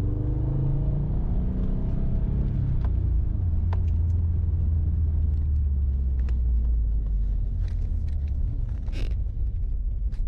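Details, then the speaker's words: 2008-on Subaru GR/VA STI after fix for the GR stumble, fuel pressure set: deep steady exhaust rumble pulling smoothly past 3000 rpm even under heavier throttle, no stumble or hesitation; normal acceleration. "see no stumble at 3 000 not even a heavier throttle nothing at all"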